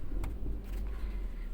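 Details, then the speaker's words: Tata Zest petrol with malfunction light on: lumpy, uneven idle that sags and fades as the engine misfires and stalls; scanner reports a pedal position fault and injector/cylinder data. "तो ये गाड़ी बंद हो रही है friend, misfire होकर गाड़ी बंद हो रही है।"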